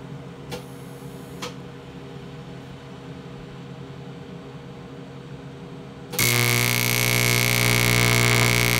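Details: 1990s Miller Econotig, repaired switch and wiring, AC high-frequency mode on aluminum (welds steel fine in DC-): loud steady buzzing arc with a thin whine that sizzles or burns through without a puddle. Spark comes off one electrode side; owner suspects the electrode, unsure.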